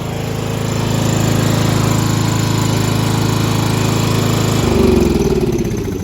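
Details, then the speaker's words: 1995 Craftsman LT4000 lawn tractor, single-cylinder engine, after sump gasket replacement, rope-started after being flooded, no battery needed: steady, even putter holding its beat, no misses or knocks. Running cleanly, normal running. "Yeah! Woo! There you turn it on. Look at that. Don't even need a battery. Don't even need a battery."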